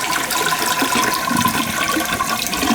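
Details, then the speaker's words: High-usage toilet that kept running, after repair with the water level lowered so it won't come out at the handle. A strong rushing flush settles into a steady refill hiss with no gurgling or spraying: normal flush and refill. "she shutting off she's not leaking she's good right there she gets a good flush I don't see it leaking in the bowl"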